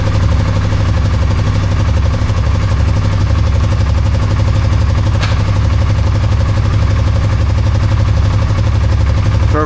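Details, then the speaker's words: Polaris Sportsman 570 single-cylinder idling cold after a stator/voltage regulator harness connector repair: steady, even putter with a regular beat, no knocks, rattles or misfires; charging 14.5–14.6 V; normal idle. "Our voltage is right at 14.6, 14.5 on a cold start. That's pretty much where we want it to be."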